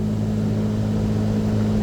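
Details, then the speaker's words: AAON rooftop unit's Copeland digital scroll compressor, with refrigeration module, running at about 47–48%. Steady low firm hum with no rattle or grinding; compressor cycling on and off normally. "And so we can you can hear the compressor going on and off. Copeland digital digital scroll."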